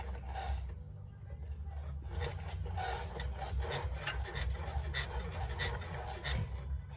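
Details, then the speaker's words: Old Ford Falcon/Fairmont Ghia rear coil spring with newly installed shocks: slow rhythmic creaks and dry rubbing each time the body is rocked; the bump stop has crumbled away completely and needs replacing. "So we got some creaking happening again, and the bump stop there is completely just gone."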